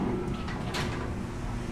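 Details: Newly installed electric gate opener motor, lubricated, on test: a brief buzzing snap as the lock retracts, then it releases into a low, steady motor hum. The gate lock operates normally.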